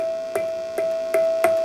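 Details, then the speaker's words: 6SL7 preamp tube, triode two, in a D-Lab Micronaut II microphonic analyzer; clear bell-like tone around 650 Hz rings steadily, each light tap re-excites it; microphonic tube. "listen to that. It's like a little bell."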